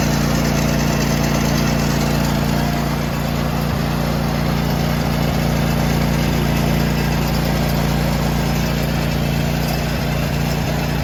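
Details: John Deere tractor with snowblower fitted, after fixing the bent belt guide that made the drive belt pop off: steady, even engine drone at constant speed with no slapping or surging, belt staying on; runs normally.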